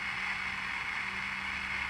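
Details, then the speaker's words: Vintage Philco T66 or Zenith Royal 80 AM pocket transistor radio during repair: steady, even hiss with a faint low hum over the broadcast; suspected noisy transistor, not confirmed. "might have a noisy transistor in it hear that noise"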